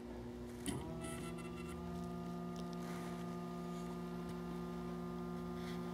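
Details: Mercury Cougar returnless fuel system, new fuel pump installed with reversed wiring, pump run by grounding the module pin: clicks on into a steady unusually high-pitched hum; spinning fast backwards, no fuel pressure.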